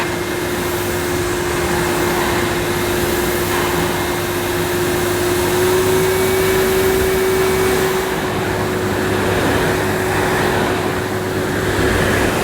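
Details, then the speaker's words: 1998 Hoover Alpina Filtra C 1500 (model SC 231011) cylinder vacuum with electronic speed control and carbon filter, running on carpet at about two-thirds power on the carpet setting; steady mid-pitched motor roar with no rattles or surging. Normal running. "not too bad a vacuum cleaner even on full power this very nice nozzle was easy to push so it's not a bad machine"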